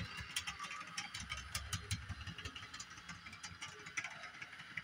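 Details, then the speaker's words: Bachmann Doodlebug model motor car, repaired after sitting dead, running on DCC (Digitrax) controller cranked to full yet moving slowly; small motor whir with uneven ticks about three per second as gears turn, suspected damaged gear; owner unsure, may be decoder setting. "See, I got it cranked all the way on the controller there, and she isn't really going very fast."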